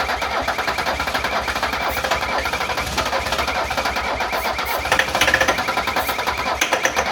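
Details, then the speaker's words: 1978 Mercedes 300CD with swapped 1984 OM617 turbo diesel and new injection pump, cranking on the 40-odd-year-old starter; a few strong uneven beats as it fires for a second, then sags back to cranking and dies. "Hey, It's kind of hard to do. she's both. alive. She ran for a second."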